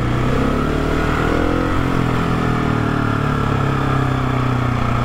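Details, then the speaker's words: GasGas SM700 supermoto single running: light mechanical whine and faint scrape in exhaust beat; dealer check found nothing wrong, noise normal, cause traced to metal skid plate under engine amplifying sound. "Ще излезе, че си въобразявам. Явно този шум си е нормален."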